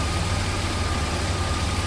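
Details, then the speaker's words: 1989 Buick Reatta 3.8L after fixing stalling and hard start: low, steady idle with no dips or misses, in closed loop, oxygen sensor cycling, block learn 128, restarts easily; throttle position sensor still tops out near 4 volts. "uh it starts right up every time so like look at this our auction sensor is cycling like it's supposed to we're in closed loop"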